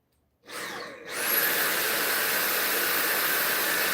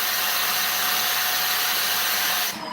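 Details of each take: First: Vacuum test-run right after a replacement aftermarket battery was fitted, before the screws went in: the motor spins up within a second to a steady high whir, holds evenly for about six seconds, then winds down cleanly. Runs normally; battery fixed. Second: Vacuum cleaner with no suction, tested with the wand reattached: steady high airy hiss over the motor whine until switched off; the relief valve is bleeding air, so the clog is in the wand.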